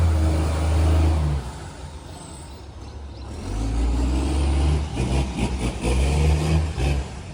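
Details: Canada Bay garbage truck SL780 (Euro 3-style Euro 5 facelift) with a leaking exhaust pipe: loud, raspy diesel idle rising to a hissing rev, with air brake bursts. Exhaust leak, since fixed.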